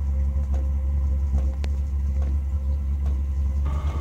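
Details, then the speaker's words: Cheap 12V Chinese diesel heater ramping to full power: a deep, steady, growing roar with no pulsing or sputter. The burner is running cleanly. "It's certainly picking up. It's getting louder. Definitely getting louder."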